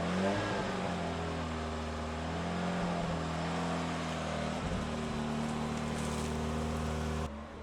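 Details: 1987 Pontiac Fiero after repairing its stretched throttle cable: steady, even engine note through the throttle blips with no misses or knocks; revs cleanly and sounds healthy.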